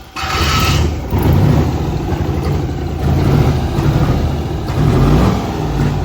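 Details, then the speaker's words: LS V8 with head gasket repaired using JB Weld: loud, lumpy, uneven stumbling beat instead of a steady pulse, one cylinder not firing; head visibly lifted off the block with a gap, causing the misfire. "three defitely the head is not sitting on the walk come on baby got come on baby oh the head is literally lifted [Music] off oh golly the head off the Block it's off the block there's literally a gap"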